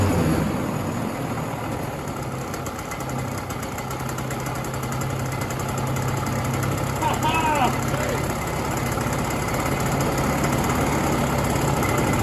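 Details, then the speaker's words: 1967 Ski-Doo Alpine twin-track snowmobile two-stroke, revived after sitting many years, now on its own fuel source; steady, even idle with a smooth low drone, no spitting or stumbling; earlier lean bog cured, normal idle. ">> It was lean. That makes sense. It idles now. >> Yeah. Sounds strict."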